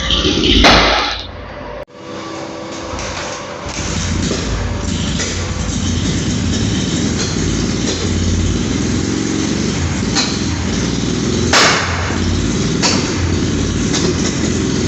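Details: Honda CD185/CD200 single-cylinder motorcycle idling unevenly with sharp, loud irregular bangs every second or two from misfiring, attributed to poor spark plugs.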